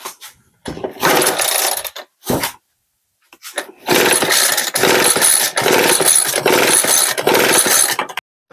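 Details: Leaf blower on a first start attempt with choke off, throttle at idle and primer ball full (possibly over-primed): repeated rasping pull-cord pulls about a second each with pauses, and the engine never fires; fails to start.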